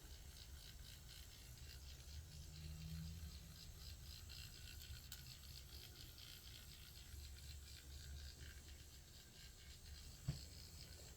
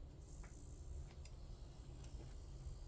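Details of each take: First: Small slow-running motor with dry bearings, humming low with a fine steady ratcheting rattle; to be cleaned, lubricated and oiled. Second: Noisy slow motor after cleaning the bearings and spring, before lubricating and oiling: low, steady hum with faint high whine, no rattle or grinding; smooth quiet motor run.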